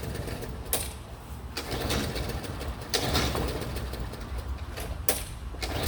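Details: 3814 mower: about four short bursts of cranking, the engine never catching or running on its own; crank-no-start.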